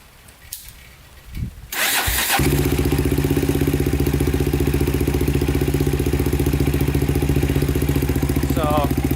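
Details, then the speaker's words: 2000 Honda 400EX with cheap eBay piston and cylinder, after cam chain tightened and valves in spec: catches after a short crank and settles into an even thumping idle, about 220 beats a minute, with light valvetrain tick; healthy. "sounds pretty good to me um you're gonna have a little noise of any engine you have the valves are the valves are perfectly in spec cam chain is tightened"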